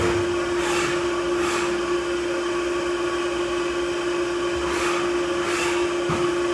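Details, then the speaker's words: Haas UMC 750 5-axis mill dry-cycling a program with rapid at 25%: a steady mid-pitched hum under the hiss of spraying coolant comes from the mill's noisy coolant pump; the vise handle flops around a little. "coolant pump is kind of noisy in this mill. I think Pearson Work Holding had a similar observation on YouTube."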